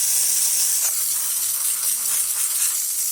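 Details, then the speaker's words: Lelit Bianca espresso machine after a full service and tune-up: strong, steady high hiss from the steam wand with no sputter or pulsing; normal steam wand operation. "So let's test the steamer too. Wow,"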